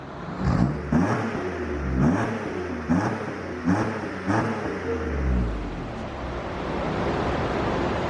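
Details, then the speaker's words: Car revved just after its exhaust was repaired: five quick throttle blips, each rising cleanly and falling back to a smooth idle, with no leaks or rattles; a healthy exhaust. "we're going to do it all right guys we got zach's exhaust all fixed up on his car it's sick nasty give her a good rev"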